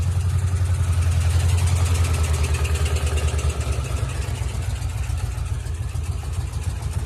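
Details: Ford Mustang GT 3-valve V8 at idle: uneven, loping idle with a regular stumble about three times a second in the exhaust beat. One cylinder is dead from a destroyed cam and rocker arm, with valve lash problems.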